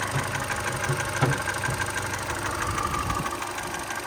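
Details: 2013 Hyundai Elantra at steady idle with a dull, fairly even knock about three per second over the engine hum; piston slap suspected, not confirmed.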